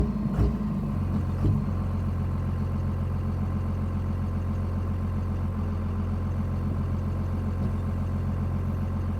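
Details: 24V Cummins truck that has cut out occasionally for weeks, with erratic idle, tach and engine light; deep diesel idle with intermittent sharp pops, also after blipping the gas; cause confirmed as a bad crankshaft position sensor.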